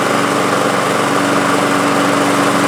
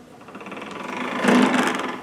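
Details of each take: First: Toro Recycler Personal Pace self-propelled mower, model 20332, after a transmission/gearbox repair: the single-cylinder engine starts on the first pull and holds a steady, even buzz; normal running. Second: Toro Recycler model 20332 Personal Pace mower with a non-working self-propel, engine off and pushed forward: a rough, gritty scraping ratchet that seems to come from the left wheel, suggesting binding in the transmission/drive. Grinding noise when pushed.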